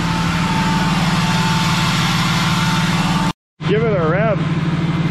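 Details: 2003-2007 5.9 Cummins diesel, first start after fuel injector replacement: even, steady clatter with regular firing beat, no misses; some smoke from oil and brake clean clearing; runs clean and healthy.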